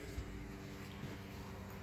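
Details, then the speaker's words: RV water pump mounted between plywood for noise reduction, running as system pressure rises to about 15–16: a faint, steady low hum with no rattle or chatter. The owner suspects a little air in the system, but the pump runs quietly and normally. "i may have a little bit of air the wrong whole system i guess at this point but the pump is pretty quiet"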